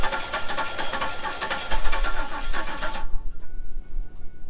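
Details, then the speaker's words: 1997 Camaro saved from the crusher, cranked with ether sprayed in the intake: ragged, irregular firing on only a cylinder or two that dies after about three seconds. There is some spark, possibly not to every cylinder; compression sounds okay. "all right well that was definitely firing a little bit more I wonder what the problem is so we've got some spark I don't know if we got spark to every cylinder"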